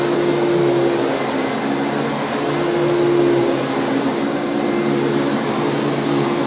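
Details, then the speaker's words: Riccar 8850 upright vacuum, whole-house carpet cleaning: steady motor roar with thin high squeaky tones as the old but clean brush roll bristles squeak against the carpet pile. "do you hear the squeaky bristles they're old and they're clean but they're squeaking"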